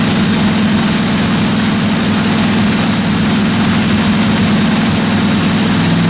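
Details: 1957 Chevy 210 project car, carbureted engine during roughly 20-minute cam break-in run: steady, even drone at constant speed with no ticking or knocking from the valve train; normal running, engine sounds healthy.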